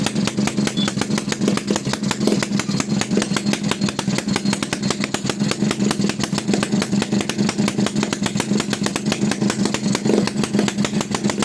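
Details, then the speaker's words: TVS XL Heavy Duty two-stroke moped, freshly rebuilt engine on a heavy oil mix: fast, even popping at a slightly lumpy idle; running rich, smoke builds up and it is prone to stalling. "చూసారా ఆటోమేటిక్గా పొగ అనేది ఎక్కువ అయిపోద్ది. పొగ ఎక్కువ వస్తుంది కాబట్టి బండి ఆగిపోతుంది."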